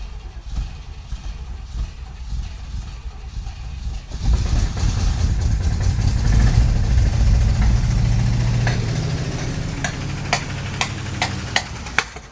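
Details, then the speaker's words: 1967 Cadillac Calais, sat 27 years, coil hot-wired from battery with fuel system sorted: cranking catches into rough, uneven run with sharp pops and knocks. Popping on startup; owner guesses fan hitting something, ground cable, or something in the motor. "what was that something hip hopping and popping fan hitting something probably our ground cable something in the motor it didn't sound real good did it"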